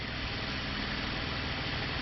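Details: 2013 Chevrolet Camaro V6 automatic, running after the alternator was replaced because of a bad decoupler (ADP) pulley, now charging at 14.86 V: steady, even idle, smooth low rumble, no chirp, squeal or knock; normal idle.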